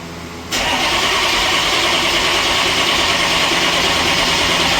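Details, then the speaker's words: 1995 Chevy 3500 dump truck, 6.5L Detroit diesel, cold restart after sitting all winter, boosters and charger on: catches abruptly, loud harsh rough clatter, stalls unless gas pedal pumped, shaking; hard starting, fuel possibly gelled. "This thing has issues. Yeah, it does. Pump that gas pedal. See it? It helps keep it running. Just keep your foot on the throttle until it idles out."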